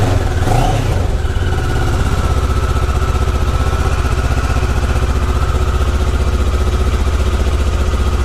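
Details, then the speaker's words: Kawasaki ER6f (Ninja 650) parallel twin after fairing rattle fix: quick blip, then an even, steady thumping idle with no buzz or rattle from the hard plastic fairings; sounds healthy. "That's just a thumping parallel twin."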